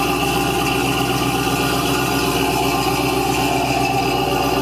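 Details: 1970 Cadillac Eldorado carbureted engine on cold start, 3-step carburetor with choke set: smooth, even, slightly raised idle with a steady beat and no misses; still on high idle while cold, normal cold fast idle.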